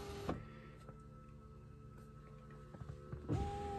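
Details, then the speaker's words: Tesla Model 3 power window, low 12V battery suspected (battery replacement alert); slow stepwise descent, brief motor whir, pause, another short whir, glass dropping about a third then another increment, with a faint humming afterward. "see how it's going back down how almost like say a third of the way it's gonna go down another increment"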